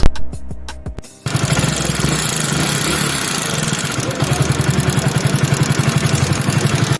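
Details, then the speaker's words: Hero Splendor Plus BS6 fuel-injected single-cylinder bike idling: dry, rapid ticking from the top end, tappet noise from loose valve clearance, before tappet adjustment. "यह जो आवाज आ रही थी वह tweet sound आ रही थी तो मैं ट्वीट को जो है अपना सेट कर लेता हूं"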